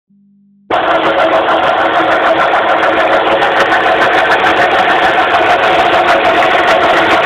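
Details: 2006 Suzuki Forenza idling with the hood open, a loud, steady hum over the engine; owner suspects a failing power steering pump.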